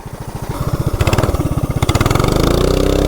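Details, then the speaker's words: Coleman CT200U-EX minibike with a 420cc big block and 40 sprocket: the thumping climbs to high revs before the drive grabs, then pulls hard. The clutch smells and engages way up high. Centrifugal clutch slipping under the big block's torque. "But I can smell that clutch. It does not like it. But you can tell it has a lot of torque, because when it does grab, it pulls really hard, even with a 40 sprocket."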